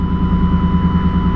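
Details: Truck idling before exhaust repair with a loud, raw, blatty exhaust pulsing evenly over a deep rumble. The muffler is blown out with a hole that grew for years; the tips were cut off after rattling against an oversized hitch receiver.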